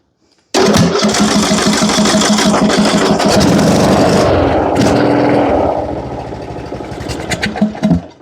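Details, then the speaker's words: John Deere riding mower with Briggs & Stratton engine, no-start, choke applied during diagnosis; it cranks, catches loudly, then sputters with sharp pops and dies. Possibly out of gas; a valve adjustment later fixed it. "That didn't sound good, did it?"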